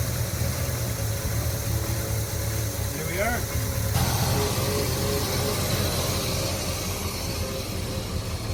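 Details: 1972 Chevy C10 402 big-block V8, unrun nearly 30 years after 1997 flood, with rebuilt carburetor: settles into a steady, deep rumbling idle and keeps running on its own without stumbling; normal idle.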